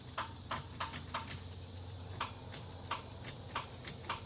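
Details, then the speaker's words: Chevy K10 LS swap with an L59 engine (essentially an LM7 flex fuel): the starter gives sharp single clicks, two or three a second, and does not crank. The owner suspects the wrong starter because it didn't line up with the flex plate; beating on it didn't help. "right now I'm having an issue with the starter that I got it's just clicking clicking clicking and I keep beating on it and nothing so I think it's the wrong starter"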